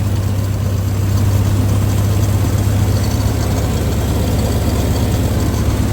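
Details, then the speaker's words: 1962 Dodge M37 truck running after sitting about 45 years, low steady quiet idle with faint unevenness, still dropping an occasional cylinder; plugs and wires not yet replaced, owner suspects a miss on a couple of cylinders. "Feel like it's missing on a couple of cylinders. I still got plugs and wires to put on it too. There we go. It's idling."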